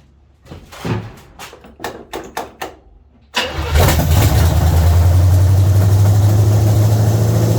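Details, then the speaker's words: 1970 Chevy C10 305 small-block V8 after a new intake manifold and carburetor: a few clicks, then it catches and settles into a steady, even, deep idle with no misses, running well. Timing still to be set, and the distributor clamp was installed upside down. "hopefully you tell our camera wasn't too loud but it's running amazing"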